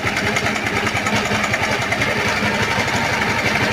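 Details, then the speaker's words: Bajaj Pulsar 150 engine at idle: fast, steady metallic ticking that keeps time with the engine, a worn, slack timing chain rattling; engine needs work, timing chain to be changed. "अपन देख रहे हैं Pulsar engine noise problem आ रही है"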